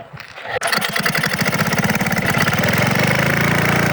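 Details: Very old Craftsman 5 hp, 23-inch snowblower with a new replacement carburetor (the old one leaked), started on full choke after two primes: it cranks briefly, catches and settles into a steady, even beat with no misses. Healthy.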